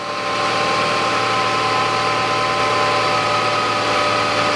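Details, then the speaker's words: 2009 Nissan Qashqai 2.0 4WD CVT, cold, after filter and fluid change: steady idle with thin faint high whine holding pitch; whine from the cold CVT that goes away once warm. "какой-то вот Звук есть в вариаторе на холодную Если вы слышите такой"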